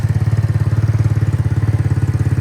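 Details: Free Roma150 (MotoBravo) scooter-engined motorcycle at 1,098 miles, after rejetting to a 120 main jet and fitting a vacuum fuel pump: even, steady low putter around fifteen beats a second, no pops or stumbles; idling smoothly.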